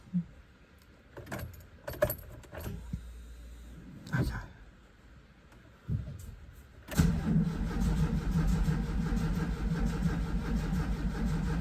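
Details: VW Vanagon after a roadside breakdown, with a new fuel pump just fitted: keys jingle, then the starter churns steadily but the engine never catches. It ran only after the pump's positive and negative wires were swapped.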